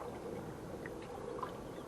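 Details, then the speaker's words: Hammerhead Kayaks Bull Shark pedal drive after a small bump was sanded off and spray-painted: a soft, even swish of the drive and water with the earlier creak gone; normal quiet pedal drive. "the creek the noise in the drive totally gone now if you'll remember some of my earlier videos when it was making it noise and uh totally gone I'm thrilled to death about that"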